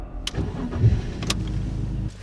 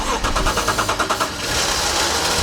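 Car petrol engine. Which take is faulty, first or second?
second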